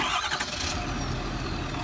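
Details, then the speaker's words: Ford F250 diesel pickup: it fires up and settles straight into a steady, even rumble with no knocking or missing; a healthy start. "oh it just sounds like pow-wow"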